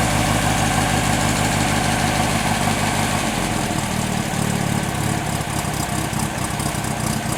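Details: 1954 MG TF four-cylinder freshly rebuilt by RNL Engines, dual exhaust, just started on a little choke: settles into an even, steady idle after a few seconds, smooth regular exhaust beat, no knocks or rattles; healthy.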